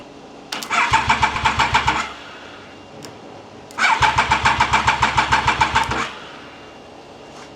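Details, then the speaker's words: Triumph Daytona 955i project motorcycle after fuel tank flush, clean injectors and primed fuel system with pressure: two bursts of brisk even cranking, about one and two seconds, with no firing; engine turns over but won't start. "The battery seems to be turning the engine over fine. It should fire up because I know the injectors are clean."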